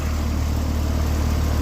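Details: Heil AC outdoor unit after tune-up at about 59–60°F outdoors, compressor 5.73 A, fan 0.63 A: steady even low hum with no rattles, knocks or squeals; normal operation.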